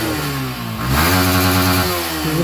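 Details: Yamaha V3 BS6 motorcycle after repair for a misfire at full throttle: steady single-cylinder idle picking up cleanly into smooth revs and settling back, no misfire or stumble.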